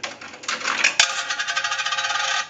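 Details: Single-slot payphone after repair and conversion, final checkout, quarter inserted, heard through an amplified pickup: coin drops in with a bright metallic clatter, then a quick even run of ticks as the mechanism accepts it cleanly; normal.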